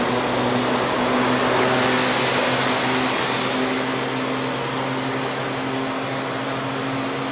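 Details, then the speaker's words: 2004 Carrier Aquasnap 35-ton air-cooled chiller 30RAN035, compressor A1 running with chilled water at about 54.5°F: steady condenser fan rush whose hum eases down as the variable speed drive slows both fans; normal operation. "and now you can see that variable speed drive onto the fan that's this fan here that we showed you off earlier actually both of them"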